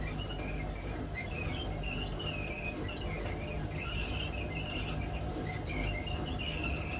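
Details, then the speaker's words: Hotpoint WMA32 washing machine spinning before bearing replacement, at 1200 rpm then 400: low rumble with repeated high squeaks every few turns; worn drum bearings letting the drum rub the seal, owner thinks sitting outside worsened them. "So this will be the last video with squeaky bearings. So you may hear it squeaking a little bit in a minute, but that'll be it."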